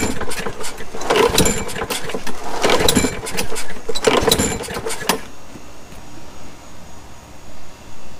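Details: Neglected Craftsman 21-inch push mower, 6.75 Briggs & Stratton, tank just refilled after sitting dry: three or four rough pull-start bursts, each dying at once with no firing; dirty carburettor with a blocked main jet starving it.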